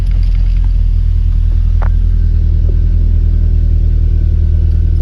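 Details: 1993 Lancia Delta HF Integrale after fuel pump replacement fixed a no-start: deep steady idle rumble, settled without stumbling or dying; normal idle with fuel delivery restored.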